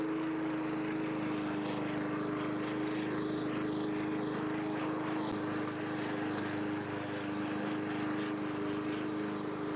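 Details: 1982 John Deere 21 SP mower, single-cylinder engine after refurbishment with new old stock points and condenser gapped to .020: steady, even buzzing drone for ten seconds, no misses or surging; runs smoothly.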